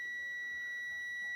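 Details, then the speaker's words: A Testman multimeter gives a clean, steady high continuity beep across a wire joined with a Haisstronica solder seal connector and heat gun. Continuity confirms the splice makes a good connection. "Because if I got continuity in this wire, then that means it's making a good connection."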